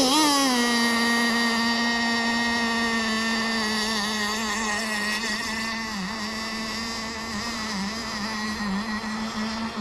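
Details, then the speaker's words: Kyosho Jetstream 1000 nitro RC boat with GT32 marine engine, running rich: high steady buzzing note that dips briefly a couple of times as it starts to stumble and lose revs; rough running. "sounds like she's starting to get unhappy we're going to let her slowboat around for a [Music] while"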